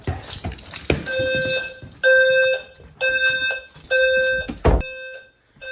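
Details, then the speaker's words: Home fire alarm system first power-up test after programming fixes: loud, even horn blasts about a second apart with steady tone and no dropouts; alarm horns sounding properly. "Okay, this guy should go off in probably 10 seconds or so. 3, 2, 1, go. That sounds better, doesn't it?"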